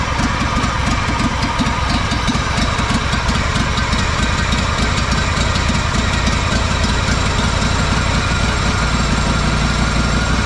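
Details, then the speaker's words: Honda 4118 riding mower with a GXV 610 engine, fuel on and a little choke: a loud, lumpy idle with uneven pops and stumbles that never clears up. The engine is sputtering and misfiring, cause not found; the owner plans to check valve adjustment. "See how crappy it sounds? [Music] It'll do that. It won't It'll never clear up."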